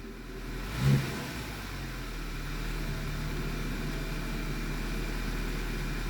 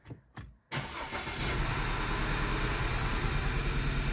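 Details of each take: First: 2009 Audi A4 six-speed manual after the fouled plug was cleaned again with carb cleaner, no parts replaced: after a brief blip, a low, even idle with no stumble. Carbon buildup from long sitting was the cause. Normal idle. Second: 2009 Audi A4 six-speed manual, a free car with oil consumption: cranks and catches, then idles slightly unevenly. Cylinder 2 still misfires after a coil swap, so the coil is ruled out and fouled spark plugs are suspected.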